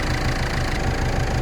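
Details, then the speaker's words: 2010 Ford Fiesta Mk7 1.6 TDCi diesel, long-stood car: steady idle clatter with an even fan rush underneath. Cooling fan already running, which owner says isn't right and suspects a coolant switch. Alternator charging 14 V; engine management light on. "And I can hear the fan going on in there."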